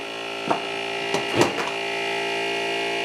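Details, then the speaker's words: Pace MBT-250 rework station vacuum pump, repaired, feeding an SX-80 desoldering iron: steady even buzzing hum with light clicks, running smoothly and pulling well, vacuum now 16.5 inHg versus 15 earlier after a filter was added (18 before). "still 16 and a half that's okay that is a lot better than what we were getting oh yeah you can hear that that's what we're talking about"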